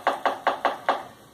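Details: Solenoid valve on a finished organ wind chest, energised with 24 volts, gives five crisp, sharp clicks within a second as it pulls in; the solenoid valve is working properly.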